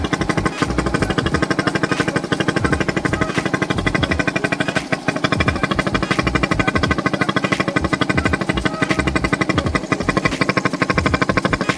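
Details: Yamaha SZ-R 150 motorcycle, long stored and non-starting, after carburetor cleaning: steady, even single-cylinder putter with no misses or knocks; idles cleanly and healthy.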